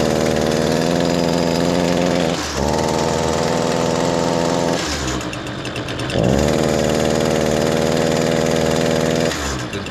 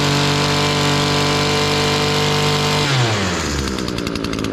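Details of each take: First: Echo SRM225 two-stroke trimmer after a choked cold start: starts fine and smokes heavily, but on throttle it bogs at a flat, strained pitch instead of screaming; clogged spark arrester. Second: Echo SRM-225 two-stroke weed trimmer screaming at full throttle without bogging after removing a clogged spark arrester; root cause too much oil in the fuel mix; healthy full-throttle revving.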